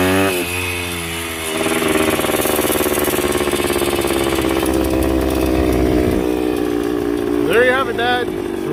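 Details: Yamaha 125 enduro two-stroke after fresh spark plug and fresh gas (earlier suspected oil fouling): crisp ringing note rises and falls cleanly with each throttle blip, no misfire or bogging; normal healthy running.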